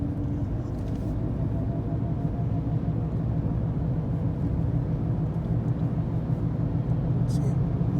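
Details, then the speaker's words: 2014 Ford Escape with only 75,000 km, cruising at speed: steady low droning hum under road rumble from the front driver-side wheel, noticeable from about 80 km/h; mechanic diagnosed a worn front driver-side wheel bearing. "you can still hear the sound it's not normal it's some kind of you know and this car is has only 75 000 kilometers in it"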